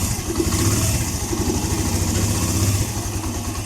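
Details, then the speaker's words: Suzuki Mola 125 single-cylinder after replacing head cover: even steady idle thump, top-end ticking gone that previously appeared once warm; still to be checked when fully hot. "Sigurado na 'to. Nawala na 'yung lagitik. Ayan oh. Pino na ang andar."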